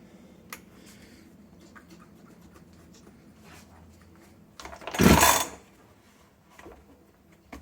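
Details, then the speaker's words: Jonsered BC2145 (Husqvarna 345R) professional brush cutter after routine service: quiet, then one short rough rev that dies almost at once. It won't hold throttle and stalls from hardened carburetor diaphragms, fixed by replacing the diaphragms and re-adjusting the carburetor. "we see that it starts and stops, it can't hold the gas as soon as it is turned on. You give it a little bit of gas, it collapses, it doesn't slow down well"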